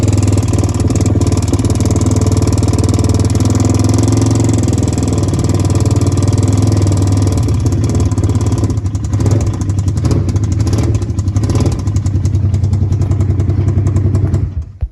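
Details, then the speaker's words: 2014 Polaris RZR 900S UTV on a ride after an exhaust repair: a loud low engine run with an uneven heavy knock, apparently from the bottom end. Suspected rod knock, unconfirmed. "okay this thing is running good now but it is making a horrendous sound it sounds like it's coming from like right here somewhere"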